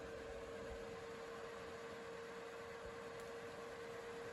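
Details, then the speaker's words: Reiker Room Conditioner ceiling fan with built-in heaters, new in box, drawing 12 amps with heater on full and light on: in heater mode the fan runs reversed at its single fixed speed, a bit slower than medium, with a steady airy rush and constant mid-pitched hum, noisy by design, normal. "And you can hear the heater kicking on there. Pretty noisy."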